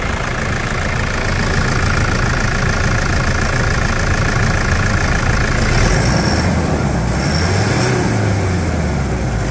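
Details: 2012 Toyota SW4 3.0 diesel, about 285,000 km, after repair of broken turbo causing loud noise, leak and no power: even clatter at idle then smooth rise and fall in revs, no whistle or rattle; normal idle and rev.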